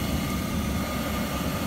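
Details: Worcester Heatslave 20/25 oil boiler after air was bled from the pump and lockout reset: loud, steady roar with a constant fan whirr and no surging or sputtering. Burner lit and firing cleanly.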